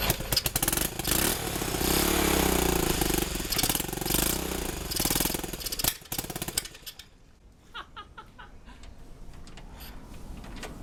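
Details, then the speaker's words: 1971 Honda CT90, sold as non-running with low compression, kick-started with exhaust only mounted at the engine: small revs with quick, even putter, then a lighter idle, no valve tapping; owner hoped for a longer run to seat piston rings. "I'm tired of kicking that thing but man that sounds good so that sounded pretty good that was a lot of fun getting it running and listening to it"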